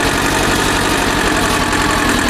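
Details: 1980 Ford 1200 compact tractor, 2-cylinder diesel, 1,155 hours, just started and pulling away in high range; steady even diesel clatter with no misses or knocks; healthy engine.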